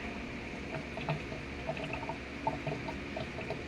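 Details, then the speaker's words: Sharp automatic top-load washing machine after repair of slow drain and error, spin-dry drain test with water above half the level: quiet steady gurgle and rush of water, tub empties quickly; drain now strong and normal. "Ayan so Ang lakas na ng drain niya ngayon so hindi ganyan kalakas yung kanina So kanina napakahina lang ng labas ng tubig"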